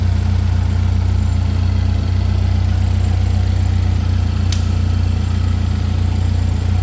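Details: Chevy Equinox after an engine replacement, running just after first start-up: low, even idle with a steady deep rumble, no knocks, ticks or misses. Engine idling smoothly.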